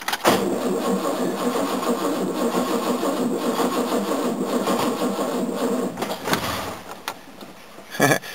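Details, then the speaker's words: 1969 Mercedes W111 220Sb after oil and filter change, hard to start when hot: starter turns sluggishly under two turns a second and dies without catching; old battery judged dead and replaced. Slow cranking from weak battery. "I'll put a new battery in there now I stuffed another battery in I'd say the other one's rooted"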